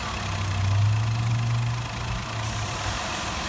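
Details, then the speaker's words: 2002 Mazda Tribute 3.0L, comeback with stalling and surging idle in reverse and code P1504: idle swells and sags. Cause found as a broken idle air control wire (white with blue trace) in the harness. "well it's back you win somebody lose some i thought i had uh shaken the harness every square inch guess i didn't shake it enough yep that's a harness not a vacuum hose"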